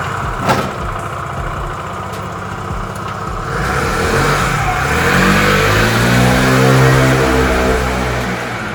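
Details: Piaggio Vespa 50 LX two-stroke, first cold start after carburettor adjustment and vacuum fuel line refit: starts cleanly without throttle, revs rise and fall smoothly with an even buzz; running healthy.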